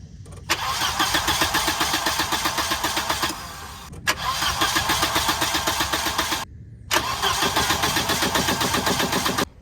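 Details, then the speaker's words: 1982/83 Volvo 242 manual parts car, previously ran well, now dumping oil after contact with the trailer frame: three cranking attempts of about three seconds each, the starter chugging evenly around four beats a second, and the engine never catches; crank, no start. "I wish this thing would start so it would just drive on the trailer."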